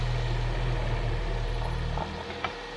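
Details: 2014 Chevy Sonic 1.8L after replacing the valve cover with its integrated PCV valve (cause of stalling, codes P2270/P0171): steady smooth idle hum, no vacuum-leak hiss or stumble; dips slightly near the end, possibly relearning, but keeps running evenly.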